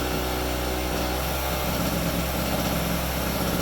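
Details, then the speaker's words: Harbor Freight 800 W two-stroke non-inverter generator after 1.5 minutes warm-up, extension cord plugged in and taking electrical load; buzz dips and settles, speed fluctuates around 3600 RPM, normal running under load. "And then when the compressor kicks on, it'll really fire up its RPMs. Now it's not an inverter, so it doesn't produce a constant steady 3600 RPM. So it'll fluctuate back and forth."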